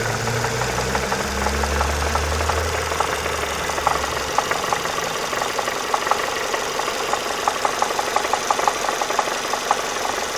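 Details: Renault Mégane 2, hot engine: steady running with a light irregular ticking knock about three per second on top; knock appears when warm, on lifting off throttle and at steady revs while driving; internal knock of unknown origin.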